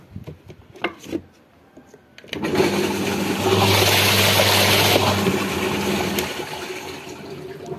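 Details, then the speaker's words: Zvezda washing machine after spin motor replacement, no leaks from gearbox, pump or motor: a click as the drain valve opens, then a steady rush of water tapering after a few seconds; normal drain flow. "To'kamiz, sliv. Klapini ochiladi, suv chiqadi."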